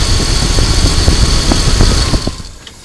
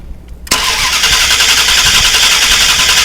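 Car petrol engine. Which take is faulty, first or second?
second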